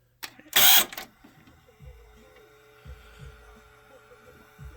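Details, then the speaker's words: Sony stereo cassette deck B, possibly overheated, fast-forwarding/rewinding: sharp mechanical clack then scattered dull clunks; transport misbehaving and misfiring, cause suspected, not confirmed. "so you see it's fast-forwarding ooh you hear that that's that's not how it's supposed to sound"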